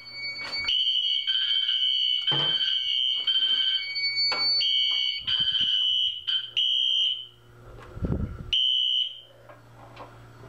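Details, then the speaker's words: Fire alarm system test after audible silence with Wheelock RSS and Exceeder: shrill alarm tone in bursts with gaps; some horns silenced while one appliance keeps sounding from the pulled station. "we still have the audible silence with the wheelock rss as well"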